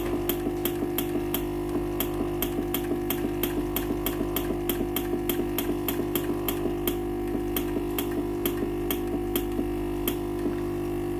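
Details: Philips PSG8160/30 steam iron: it powers on normally, and a steady hum with quick even ticking at two to three per second is heard, but no steam comes out. The water pump has failed.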